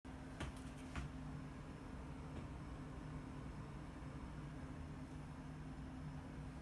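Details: Gigabyte GTX 1070 G1 graphics card, back from RMA with the same coil whine and fan problems: faint steady low hum with a thin tone over it; the card's fan runs rough and noisy.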